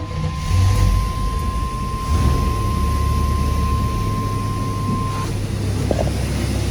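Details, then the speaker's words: Long-sitting Square Body crew cab with a 4-bolt-main GM 350 V8, forgotten 12 years, idling after only a new battery: a deep, steady, even rumble with no misses or knocks. It runs like a top; normal idle. "she runs like a top, guys. Just needed a battery."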